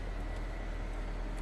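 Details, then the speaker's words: 2003 Nissan Almera N16 1.5 petrol manual, just after replacing and tensioning the alternator and power-steering belts, idling with the steering on full right lock. Steady low hum with no screech or chirp. The belts are quiet. "nice and quiet that's what you'd like to hear there you go job done"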